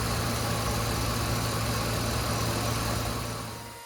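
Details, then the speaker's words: Ford 5.4L V8 truck after replacing the cylinder 5 (bank 2) ignition coil pack for a misfire: even, settled idle with steady low drone and no missing beats, much quieter than before; misfire apparently fixed. "when I started this up it was much quieter I think we fixed"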